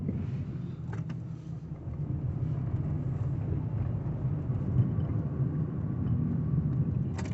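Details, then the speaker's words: Car rear suspension over speed bumps after spraying lubricant into dried, cracked anti-roll bar bushes: only steady low road rumble, creaks and squeaks gone; temporary fix, new shock absorbers with bushes still needed. "What a difference that makes. It's like 100% gone."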